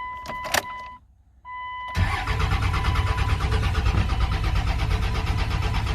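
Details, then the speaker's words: 1999 24-valve Cummins diesel, sitting 2+ years, first start attempt with the weak factory lift pump priming: dash chimes, a pause, then steady cranking at about three turns a second. It never fires and no smoke shows yet; fuel delivery is suspected. "Not seeing any smoke out of the tailpipe yet."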